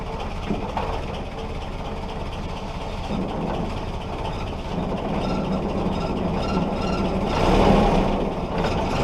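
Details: Willys Jeep L-134 Go Devil four-cylinder, after 35+ years sitting, clutch in: first run on its own without starter fluid, low somewhat uneven rumble that holds and rises slightly.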